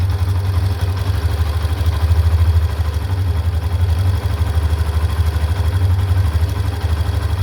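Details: Hero Xtreme 125R at 619 km. The single-cylinder idle has a repetitive light "khit khit" ticking over the exhaust thump, about three per second; the engine ticking's cause is not pinned down.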